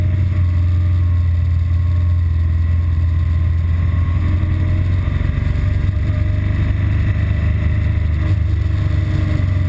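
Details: BMW R1200GS Adventure riding and filtering before its intermittent stall fault appears: steady low twin-cylinder thrum, even through small throttle changes, with no stumbles or misfires. Normal running.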